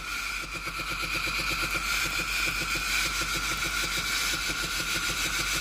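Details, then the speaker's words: Philips GC7051 pump-type steam iron, reassembled after its water hose, clogged with algae-like deposits, was found to be the cause of no steam: rapid, even pump buzzing under a steady hiss of steam, pump and steam output now normal. "ได้ยินเสียงปั๊มนะครับผมแล้วได้ยินเสียงไอ้น้ำออกนะครับ"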